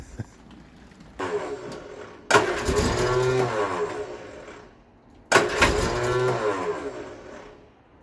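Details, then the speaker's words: Vauxhall Viva HC barn find; three cranking bursts, starter churning steadily but never catching. Fuel issue suspected; fuel reaches the filter, carburetor next to check. "must be a fueling issue like someone had said"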